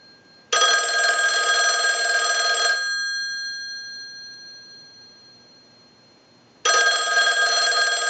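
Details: Verizon single-slot payphone at initial checkout, analyzer sending repeated ring cycles like an incoming call: about two seconds of fast, even bell clatter then roughly four seconds quiet; healthy ringer cadence.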